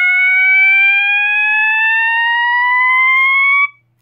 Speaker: the next tone is the slow woop and that tone is generated when you insert Clips a B and C so here we go